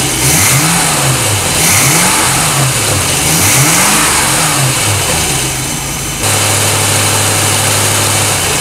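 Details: 1988 Crestliner Chevy 305 V8 with OMC King Cobra drive and electronic ignition, with blow-by on a couple of cylinders; quick rev blips then a steady even drone, starts easily.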